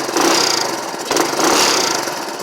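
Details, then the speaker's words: 1984 Honda ATC 200S single-cylinder with a brand-new exhaust and a muffler that has one tiny leak; blipped twice, it gives a crisp, even exhaust bark with no misfire or rattle, so normal running. "thing sounds freaking amazing."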